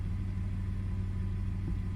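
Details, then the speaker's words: 2002 Toyota 4Runner (start-stall complaint with multiple cylinder misfires), engine warm in closed loop: steady, even low idle rumble with no misses, knocks or hunting; it is settling in nicely, a normal idle. "Oh, it's settling in really nice. It feels really good."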